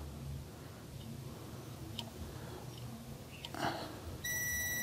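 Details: Flexing the harness on a Chevrolet LUV D-Max (Isuzu) with freshly rebuilt 3.5 L engine, no acceleration and no power: wire rustle, then continuity meter beep cuts in and out, revealing an intermittent open in the TPS signal wire at a splice.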